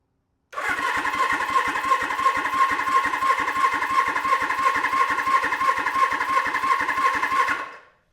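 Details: Suzuki GS750 on a new battery, cranking with new spark plugs and no carbs fitted, compression 100–105 psi on all cylinders; even starter cranking at about three beats a second, each compression stroke equal and healthy.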